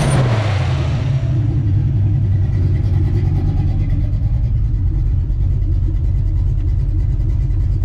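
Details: Small-block Ford 306, GT40P heads, Anderson N41 cam, Holley double pumper: quick blip settling into deep, choppy, uneven lope, during idle mixture tuning; lopey cammed idle.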